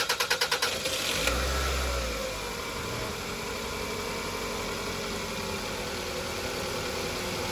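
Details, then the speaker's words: 2001 Toyota Highlander 2.4L 4-cylinder, fuel pump reinstalled, fuel gauge fitted: about eight quick cranking beats, then the engine catches, flares and settles into a smooth, even idle around 50 PSI fuel pressure. "The engine is running. We're around 50 PSI."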